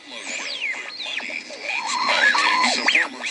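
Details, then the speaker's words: Tube AM radio tuned to 770 kHz; warbling high squeal sweeping in pitch over the station audio, interference from a tube. "Okay, now the radio is still on at the moment, and you can hear that squeal. Okay, we want to eliminate that squeal."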